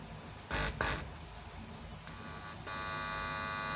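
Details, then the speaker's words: Amplifier with a newly fitted tone control board and test speaker: a few crackles, then a steady even hum when the tone control input is touched, showing the signal gets through. "disentuh ada suara menandakan suaranya masuk teman-teman"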